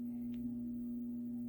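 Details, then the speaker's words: AC/DC Pro pinball cannon motor, energized as soon as the machine is on: steady even low hum with no turning rhythm; the small motor is trying to turn but is stalled, and the cannon does not move. "oh as soon as i turn on the machine it's making some noise um okay give me one moment i'm going to investigate i'll be right back okay i found the issue the motor is trying to turn"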